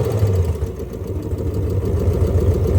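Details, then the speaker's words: On a 2001 Lexus IS300 with a swapped 1UZ V8 and automatic, at first start after the immobilizer reset, a steady even V8 burble has no misses or hunting. It idles on its own, though not yet responding to the throttle pedal. "as you could just see in the video the the Lexus is uh running on its own"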